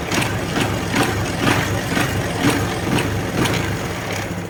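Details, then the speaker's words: Honda Wave 110i after re-rebuild fixing hard starting and no compression following a rebore and new rings: steady even single-cylinder putter about two beats a second, no misses or knocks; normal idle, compression restored. "ครับเ่านี้ก็เบาได้รอบเดินปกตินะครับผมไม่มีปัญหาครับ"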